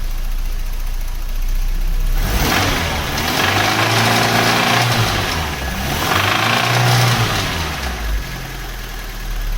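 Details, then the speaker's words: 1991 Cavalier GL, C20NE 2.0 bottom end under SRi 130 top end, lifters and cam swapped without fix: idle rising into revs with dull rapping knock following speed; small ends thought to be knocking, engine declared scrap. "Well, situation is, sounds like the wee ends are knocking on that C20NE bottom end that I tried to fit to the SRI top end."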